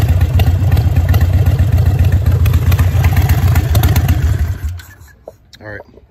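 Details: Harley V-twin (Sportster/Dyna/Softail/V-Rod) with a manual idle air control valve replacing the factory IAC, idle rpm dropped down: low, loping idle at an even beat around four per second, settling without stumbles; healthy warm idle.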